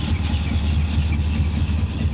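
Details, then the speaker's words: 1970 Donohue Javelin, 390 V8 with rebuilt original Motorcraft 4300 carburetor, warming up: deep, steady idle with an even pulse and a mild exhaust lump as a 390 should have; smooth and healthy. "a little bit of lump in the exhaust like a 390 should have sounds pretty good car is smooth idles along very well down the road"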